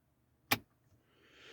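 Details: Jeep JK with Rubicon axles fitted and its factory e-lockers wired to an added switch panel: one sharp click as the front locker switch is thrown, then a faint hiss. The electric locker engages normally.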